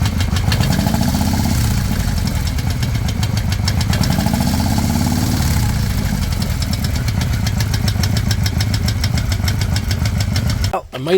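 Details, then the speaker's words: 2005 Harley-Davidson Night Train, over 350,000 km on original bottom end, after weeks of rising footpeg vibration: fast, even rattling tick over lumpy V-twin idle, likely a loose compensator nut, not rod knock; metal chunks found. "maybe that uh rattling ticking sound is actually not coming from the bottom end of the engine but in fact loose compensator nut"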